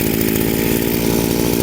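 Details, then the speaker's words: Chinese brushcutter two-stroke with the high-speed carburetor nozzle turned half a turn lean: thin, buzzy, strained drone lacking punch, choking with no traction. Lean mixture causing loss of power. "So, the brushcutter is choking, it doesn't have enough power."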